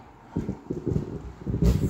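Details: KLH ASW10-100C subwoofer: irregular low thumping bursts cutting in and out with no steady tone, scratching and distortion that comes and goes; dirty pot contacts needing cleaning.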